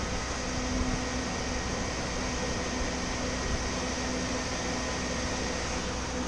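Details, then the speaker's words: Chevy G20 van, new electric radiator fan with relay and 205°F-on/185°F-off switch, engine warm: fan switched on around 204°F; even rushing whoosh with faint motor hum, no ticking or scraping; normal running. "204 something it turned on and now it is on I can feel plenty of flow it's working real good we're getting plenty of air exchange yeah"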